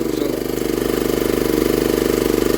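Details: 1960s Honda ED250 DC-only generator, restarted to check DC output, about 14.6–16 V on the multimeter: a fast, even putter at constant speed with no misses or knocks; normal running.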